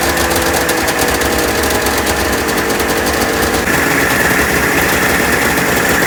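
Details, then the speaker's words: 1996 Ski-Doo Formula 3 600 triple two-stroke snowmobile, neglected project, after carb cleaning, choke cable adjustment and carb synchronization, started without choke: crisp buzz holds steady then climbs cleanly on throttle, no misfire or stumble; runs really good, carbs set up right. "It runs. The carbs are set up right, from what I can tell. I mean, it runs really good, so."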